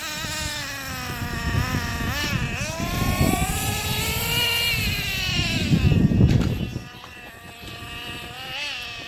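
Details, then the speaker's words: 2008 Traxxas Revo Platinum Edition 3.3 nitro RC truck, first run after two and a half years, heard in wind: a high buzzing two-stroke note that wanders instead of settling low, a high idle because the low-speed needle is mistuned. "Right now it's at kind of high idle because the low-speed needle is tuned incorrectly."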